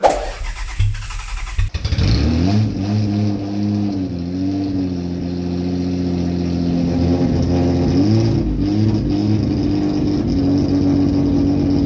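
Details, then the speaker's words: Toyota MR2, fuel pump ruled out with relays bypassed and positive fuel supplied: catches after stumbling crank, idles lumpy and uneven, running a cylinder down, and still cuts out; rough misfire, cause unconfirmed. "The fuel pump isn't the problem, and with positive fuel and all the relays and all the fuel pump bypassed, it still cuts out. And also it runs like a bag of shit. You could hear it was running a cylinder down."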